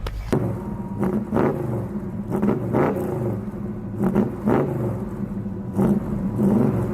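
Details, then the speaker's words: 1966 Chevelle 327 small-block V8, double-hump heads, small cam, long unused, carburetor just rebuilt: repeated throttle blips, each rev climbing unevenly after a slight hesitation. More responsive now, but a mild stumble off idle; carburetor still needs adjusting. "they're got some adjusting to do on the carburetor but it is a lot more responsive now I got a little tuning to do on it because it's got a little stumble"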